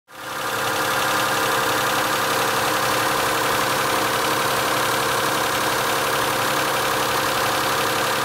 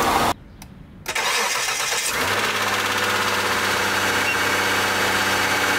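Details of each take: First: Mitsubishi Galant 8, 6A13 V6, morning start: fast light ticking over steady idle that often persisted even fully warm; worn hydraulic lifters in the rear head, replaced with AJUSA units. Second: Mitsubishi Galant 8, 6A13 V6, morning cold start after replacing rear-head hydraulic lifters with AJUSA (front done earlier): catches promptly, smooth steady idle, no lifter ticking that used to persist even warm; repair successful.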